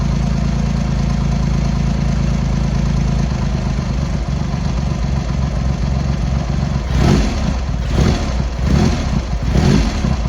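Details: Triumph X75 Hurricane, rebuilt carbs just refitted, cold start on half choke: deep, lumpy idle with uneven beat, then throttle blips; pilot screws thought set 7/8 out, carb tuning and richening suspected needed, not confirmed.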